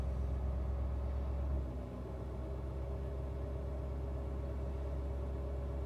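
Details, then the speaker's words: Ford 6.7 Powerstroke diesel pickup at a self-raised idle with boost lifting slightly: deep, steady rumble with no knocks. It is keeping the catalyst at operating temperature so the DPF doesn't gum up, not regenerating. This lasts about 30-45 minutes. "And all the truck is doing right now is maintaining the catalyst operating temperature so it doesn't gum up and damage the DPF and the catalyst."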